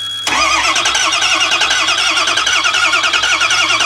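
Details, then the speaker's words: Ford E350 6.0 diesel bus: steady quick starter cranking with RPM reading but never firing; crank no start, zero oil pressure so no injection control pressure; ICP regulator and voltage reported fine, oil full. "we have RPMs we have no oil pressure guys no oil pressure at all well this fuel system runs on oil pressure without low oil pressure to drive the high the high oil pressure side you cannot run this fuel injection system"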